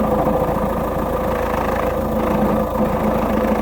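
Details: Peugeot 407 SW 2.0 HDi diesel idling, clutch noise: uneven rattly chatter under the diesel clatter with a faint hum; failing dual mass flywheel, fixed by fitting a new original clutch kit and dual mass flywheel.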